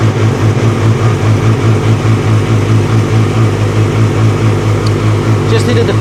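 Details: 2006 Yamaha R6 after throttle cable and throttle body work and reassembly: after prolonged cranking the engine catches with fast low pulsing and settles into a rough run, something not right, probably fuel still filling the line; cause unconfirmed.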